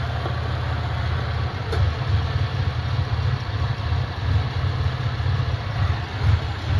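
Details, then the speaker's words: Sick Centurion engine (owner suspects bad fuel) after injector cleaning, same fuel still in, fuel pressure just under 40 with good vacuum: low, lumpy, wandering idle sagging as if about to die; cleaning injectors did not help. "even though we went through and did that cleaning getting ready getting ready to die so cleaning the injectors did not help"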